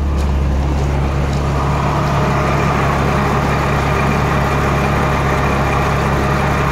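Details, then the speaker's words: Jeep Cherokee 4.0 inline six that previously misfired on cylinder 6 when hot, after Mystery Motor Oil treatment, now warm: smooth even drone with faint buzz, no stumbles; clean idle. "So it's hot right now. I made sure that I got it a little bit warm. Idling nice."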